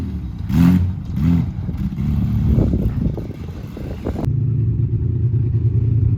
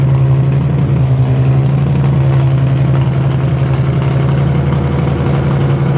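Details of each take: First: Widebody BMW E30 on MegaSquirt ECU, test drive: revs rise and fall with uneven clatter and lumpy pulls through the gears; owner says it has tuning issues; rough running under acceleration. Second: Widebody BMW E30 on MegaSquirt ECU with fuel pump rewired to factory wire, steady low idle hum holding an even note without stumbles or misses; fan works, fuel pump cycles properly, timing not yet set; normal idle.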